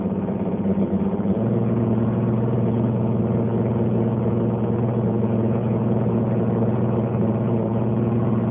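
A loud, constant low drone starts about a second in and holds steady throughout; the dishwasher runs rough, cause undetermined.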